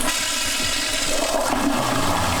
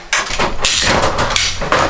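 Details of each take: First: Clinic plumbing after repair of a noisy water pipe: the toilet flushes with a steady rush of water and no banging or thumping in the lines. The supply pipes are now quiet. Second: Garza County Health Clinic flush-valve (tankless) toilet pipework: sharp bangs and rattling surges each time the flush valve shuts off, classic water hammer.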